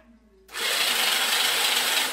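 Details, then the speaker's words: 1981 Honda C70 Super Cub with rebuilt starter, bench-wired with spark plug out: steady, even high whir without grinding as the starter spins the engine freely; normal cranking. "so if i go ahead and short pretending this is the starter switch you can hear that the starter is actually turning the motor over now"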